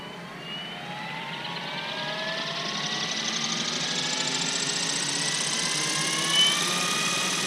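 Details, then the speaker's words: New Goblin 500 RC helicopter maiden, Scorpion 4020 1100kV motor, Tribunus 80 ESC: motor whine climbing as head spools up with a pulsing beat, skid vibration from badly out-of-balance main blades salvaged from two crashes; tracking good. "blade tracking's good i'm seeing a lot of vibration in the uh skids but this is the very first full up of this model"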